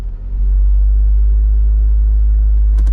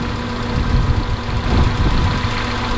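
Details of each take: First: Car engine: smooth constant low drone near 1,500–2,000 rpm with a couple of short knocks. High idle. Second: Honda Civic Del Sol, after a long-dead battery: steady even low hum with no knocks or misses, the idle settled down to normal speed. The engine sounds healthy.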